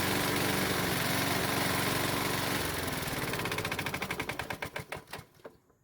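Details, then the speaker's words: Used Honda lawnmower engine running on a borrowed test spark plug: a loud, hard rattling knock, then sharp regular knocks slowing at shutdown. It has a known rod knock, burns oil, and puffs blue smoke on cold starts. "unfortunately i found out that it had a rod knock the engine makes a knocking noise so loud that i have to wear hearing protection and it burns a lot of oil"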